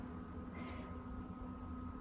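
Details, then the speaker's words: Newair 48-quart portable refrigerator/freezer with an LG compressor, just plugged in with both compartments at 71 degrees: a faint, steady low hum with a light high tone and no knocks, very quiet normal running. A smoker buzzes in the background. "You can hear it running, but it's very quiet. It's not loud like some things would be. This has an LG compressor in it."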